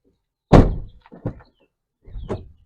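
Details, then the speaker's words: 2017 Ford Transit 350 XLT passenger door after door check guide replacement, previously clicking at the pin: clean thunk opening then soft settling knocks, no popping or clicking; fix successful. "Did you hear it? Nothing. That's what I wanted. The sound of success."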